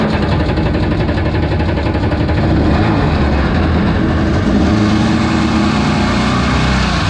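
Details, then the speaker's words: Single-seat aluminum mini jet boat with 750 Kawasaki jetski engine, on-water test run in ice-cold weather and choppy waves: loud continuous roar with ragged, irregular pulse, no clean steady note; not running right, cause unclear; poor running under load. "I'm done it's not running right so I'm not gonna"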